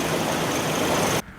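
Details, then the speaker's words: Toyota Tundra SR5 after spark plug and ignition coil replacement, battery had been disconnected, no check engine light: even, steady idle hum with no miss or stumble before cutoff; engine running smoothly. "smooth bro smooth guess take it for a test drive let's do it"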